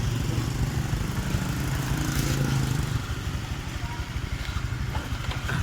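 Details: Honda Vario 125 old after replacing the connecting rod and crankshaft, radiator filled: even, steady single-cylinder putter with no knocking or clatter that was heard before; the engine sounds healthy.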